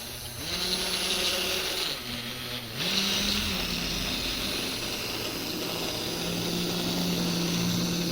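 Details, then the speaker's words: HO-scale model monorail, on one level track section it struggles on (owner suspects dirt or curves): small motor whine sags and wavers, then steadies; drive bogs down there, cause unknown. "I don't know why it struggles so much in that one section of the track"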